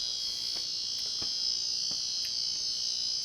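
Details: 1990 Casablanca Panama 50" Inteli-Touch ceiling fan, power applied: steady high-pitched electronic buzz with faint clicks from the control board's sound driver; a failed board component, suspected capacitor or transistor; fan otherwise works.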